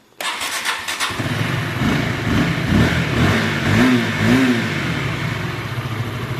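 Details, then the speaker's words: Motorcycle after connecting-rod and balancer bearing replacement for rough knocking, crank bearing substitute fitted with precisely lapped cap: brief starter crank, immediate catch and steady, even idle with no knocks or drag; normal start and idle. "Kalau kop udah pasti aman karena udah dipresisiin lagi, oblak sedikit di amplas udah maksimal dan putarannya nggak seret. Ini buktinya di starter juga ataupun saat langsam dia normal."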